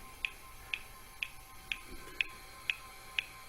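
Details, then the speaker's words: Vintage portable computer at power-on: sharp, evenly spaced clicks about twice a second over a quiet hum while booting and running a memory check; owner first suspected a bad hard drive but thinks it is normal boot behaviour. "you can hear it clicking now I thought that was a bad hard drive but I don't think that is a bad hard drive I think it's just what this thing does booting up"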